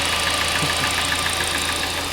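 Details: Hyundai i40 / Kia Sportage 2.0 G4NA engine with cylinder scuffing found by endoscope, at idle: a sharp metallic tick about seven times a second. Owner suspects coupling or chain; source not pinned down.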